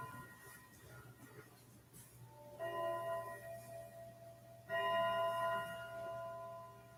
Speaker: Good sounding clock. it It is. is a really nice sounding clock. I always like this style case too, because it had like a nice mellow melody instead of like really Yeah, I like crazy.